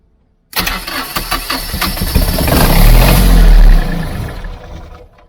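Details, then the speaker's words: Catamaran diesel generator with a weak starting battery and wiring a previous owner had altered, started by holding preheat and start together: cranks, catches, runs roughly about three seconds then stalls; owner suspects six months unused. "so why did it stop though well just because it hasn't been run in like six months"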